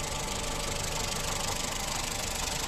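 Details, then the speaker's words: 2011 Honda Insight hybrid 1.3, ex-taxi at about 322,705 miles, under-hood idle: steady even idle with light fast ticking the 1.3 always makes; normal, nothing to worry about. "the 1.3 always does this tickety-boo sort of noise there. You hear it? So it's fine."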